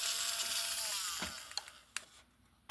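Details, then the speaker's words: Pennsylvania Railroad doodlebug model motor powered directly through its leads, before the DCC install. A high buzzy whir winds down with fine rattly chatter and loose clicks. The motor runs fine apart from slight machine-gun gear chatter. "That motor is runs perfectly fine besides a little bit of machine gun fire which I don't think you are going to be able to hear"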